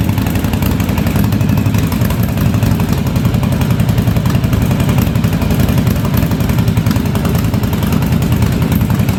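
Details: 1983 Yamaha Virago 920 V-twin barn find, freshly revived, spark plug replaced: low lumpy idle with dropped pulses, front cylinder kicking in and out; owner suspects fuel, rough idle with intermittent misfire.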